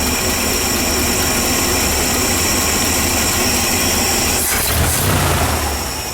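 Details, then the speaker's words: 1978 Ford F-700 V8 with new plug wires, while adjusting carburetor mixture screws: uneven idle with irregular popcorn-like popping under the rumble, running rich. "Oh, that sounds neat. But that doesn't sound better. It shouldn't sound like popcorn popping."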